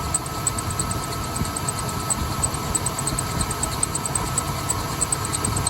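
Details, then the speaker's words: 1988 Ford E150 Econoline van, 4.9L engine, idle after replacing the rough, seized-looking tensioner/idler pulley: much quieter, but a faint thin chirp about three times a second remains; owner suspects the belt needs replacing. "there's the squeak oh are you telling me it's something else I hear the squeak back guys I wonder if I need a new belt maybe I'll need to do a new belt"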